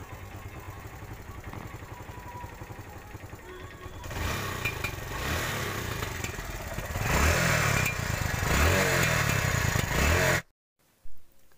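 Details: TVS Star City 110cc single-cylinder bike revving: sharp low pops from the exhaust as the throttle snaps and is released, a misfire backfire; spark plug and other checks planned to fix.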